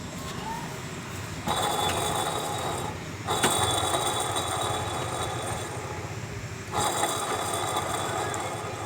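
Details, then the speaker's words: Toyota XLI idling with loud rough whirring growl and thin whine coming and going from a worn AC compressor pulley bearing, louder when driving. "दोस्तों अभी इतनी आवाज़ है, जब ये गाड़ी चल रही हो तो फिर तो बहुत ज़्यादा आवाज़ करता है ये बैरिंग।"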